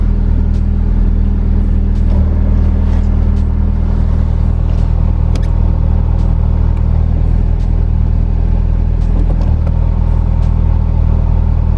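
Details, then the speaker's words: Ford Fiesta engine idling with a rough whirring drone from a worn, very noisy clutch release bearing, heard spinning as soon as the clutch pedal is released; bearing and clutch to be replaced. "As soon as you take your foot off the clutch, you can just hear that bearing spin and spin and spin, and it's so gaunchy and horrible."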